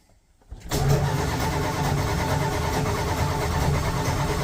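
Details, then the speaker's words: 1985 Dodge D150 on a cold start: a long, steady churning crank with no catch or rise into idle. Cold hard-start, won't fire. "Come on, damn it. Son of a [ __ ] Truck won't start."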